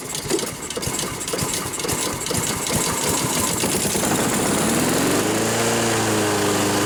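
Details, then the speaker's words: Lawn mower started right after sharpening and reinstalling the blades: uneven chugging at start settles into a steady rising drone with no knocks or rattles; listening for an unbalanced or loose blade, running normally. "I always like to start it up right after and just listen to the engine feel the vibrations of the handles see if anything is abnormal"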